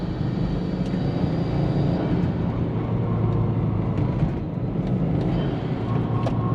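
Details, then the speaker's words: SG XT Subaru Forester driving after an oil change and an older SF5 intake fitted: steady, even low drone with no knocks, ticks or whine over road noise; normal running, idling better than before. "Oh guys, that's it. She is running a lot better. She's idling good."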